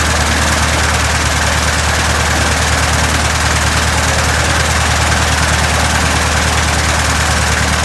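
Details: 1967 Citabria restoration, first start: steady, even idle with a deep regular thrum, no misses or knocks; normal idle.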